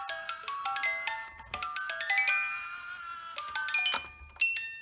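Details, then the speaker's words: 1970s Black Forest cuckoo clock under repair: music box runs unevenly and dies away, clicking off, because its left-hand drive weight is missing and lacks tension; replacement weight, hook and chain ordered; music box stops. "I can actually make it go by my finger, and I think that's because it wants to go, but without the weight on the left-hand side over here, it's not allowing it to get that tension it needs to keep it going."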